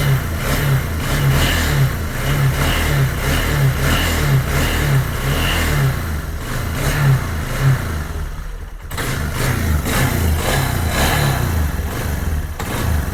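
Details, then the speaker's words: 2001 Yamaha Bear Tracker 250 ATV, long-stored, after a no-spark fault traced to a suspected bad stator pickup coil: single cylinder catches and settles into a steady, even idle with light blips, running well despite a tank/petcock fuel leak. "Well, it's running and it sounds good, but my gosh, it's got a bad leak."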